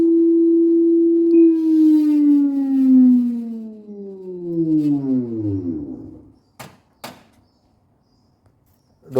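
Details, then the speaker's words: Daewoo 9 kg/7 kg direct-drive inverter washer in spin with four minutes left: loud siren-like whine falling in pitch as the drum coasts down after power-off, ending in silence; not the bearing, Hall sensor on stator later replaced. "now still remaining four minutes is still as same as making loud noise friends I have to check casually straighter and hold sensor"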